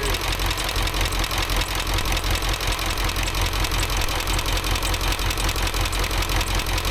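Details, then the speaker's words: Ford F350 dually 7.3 Powerstroke diesel after replacing a bent pushrod, second from the back, valves now opening properly: idle clatter with steady beat and an extra knock now and then; runs much better but intermittent knock, source undetermined. "Something in that motor don't sound very good though. No idea what that knocking is occasionally."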